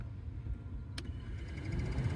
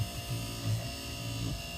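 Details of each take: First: Chevrolet Express/GMC Savana rear auxiliary blower motor after replacing with a Four Seasons unit: single click then steady low hum swelling smoothly, no rattle or squeal; normal blower operation on low. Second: Chevrolet Express/GMC Savana rear AUX blower motor, just disassembled and reassembled: steady hum with a faint rough buzz. Owner guesses a very short brush was stuck; brushes worn. Worn blower motor brushes.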